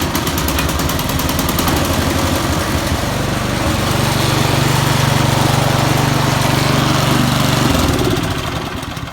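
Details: Craftsman snow thrower, started by recoil rope indoors with choke on, half throttle, primed twice: steady even single-cylinder putter about four beats a second, no misses or surging; running properly.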